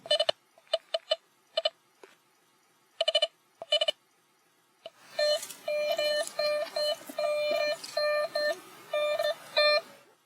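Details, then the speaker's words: Nokta Velox One metal detector, factory reset, coil swept 5 cm above ground: irregular short beeps and warbling chatter from ground noise; turn ground balance knob clockwise in small steps until silent. "If the device receives ground noise, turn the ground balance knob clockwise in small increments until the noise is gone."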